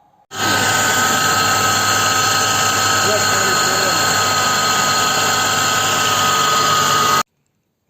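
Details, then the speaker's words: VW T4 diesel idling after its three belt rollers, including the tensioner, were replaced: a steady high whine over the idle that never changes, the power steering pump whining; the pump is not yet replaced. "мы в принципе можем наблюдать как воет сам гидроусилитель руля но на его замену у хозяина нет денег"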